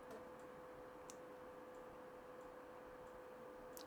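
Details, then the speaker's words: PlayStation 2 disc drive before its laser lens was cleaned: faint irregular ticks over a soft steady whirr as the disc spins and the drive keeps seeking but never reads; it returns to the browser screen. "So, we still get um browser and config on the screen. So, it's still not reading it."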